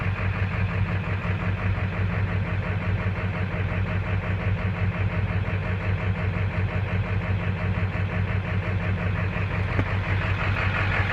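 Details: 2000 Ford F350 diesel with 200/80 hybrid injectors: low idle with an uneven, lumpy beat near three pulses a second that never settles; rough idle, cause unclear.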